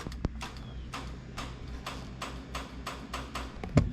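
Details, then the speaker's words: 2JZ car with a newly installed Smooth Stage bump box: crisp sharp clicks about twice a second over quiet idle as the line lock solenoid activates; normal line lock solenoid operation. "You can hear it activating my line lock, okay? But it's also activating this."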